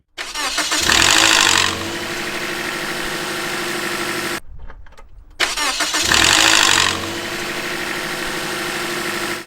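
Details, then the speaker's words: 2003 Toyota with 1NZ VVT-i engine, cold start after sitting: brief harsh metallic rattle for a few seconds, then steady idle; rattle comes from the single intake-side camshaft (VVT-i) gear. "basically that rattling sound that you hear that just stays for a few seconds and then goes away comes from what is called the camshaft gear"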